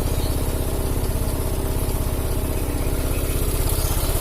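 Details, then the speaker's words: Italian 250cc automatic scooter: rough, uneven clatter on an idle thumping at about two beats a second; identified as cam chain noise. "ini suaranya agak kasar ini enggak pemilik Tuh kan Ya saya suara rantai keteng ini"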